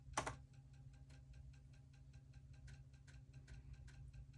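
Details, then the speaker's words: Old crusty floppy drive on a Shuttle HOT-433 motherboard under restoration, powered up fine: light uneven ticking and clicking over a low hum as it tries to read; rough stepping, drive struggling and likely failing. "powering up sounded good that doesn't sound great but let's see what happens"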